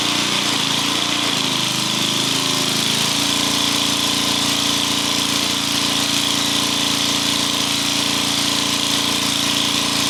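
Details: Old welder engine after valve repair (valves resealed, new head gasket and valve cover gasket): steady, even run with constant hum and airy hiss, no knocks or misses; sounds healthy.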